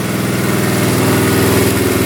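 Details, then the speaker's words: 1972 Honda CT70 single-cylinder, all-original auction bike being revived after a bogging issue, idling in neutral after rewiring, running well with no smoke; quick, even putter, no misses or stumbles; healthy normal idle. "Running pretty good now. No smoking."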